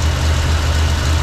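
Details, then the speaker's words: 1968 Jeep J2000 Gladiator on its new carburetor, fitted for fuel issues: catches at once and settles into a steady, even low idle with no misses or knocks; runs great, though owner hears what sounds like the water pump going out. "there's no fuel in the bowl at all I guess it was just primed and ready to go sure does run good huh runs great runs amazing now"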